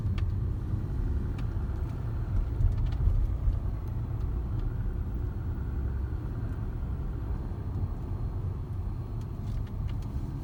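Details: Jaguar XJ X351: over steady low road rumble, sharp isolated pops and clicks come from the roof at irregular moments.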